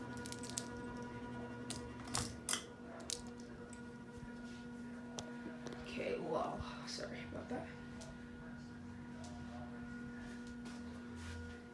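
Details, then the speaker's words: 1980s CEC hugger ceiling fan on low: steady even low motor hum with a faint higher tone, no rubbing or ticking. Normal motor hum. "Hear the motor making a nice humming sound."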